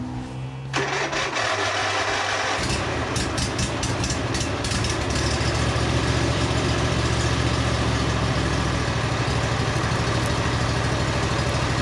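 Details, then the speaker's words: Husqvarna Z246 zero-turn after swap to a donor Briggs engine, first start: cranks and catches, then runs with rough busy chatter as the starter fails to disengage; weak battery noted. "R pretty good oh yeah pretty cool need a better battery starter is not disengaged yet all right well we know it runs"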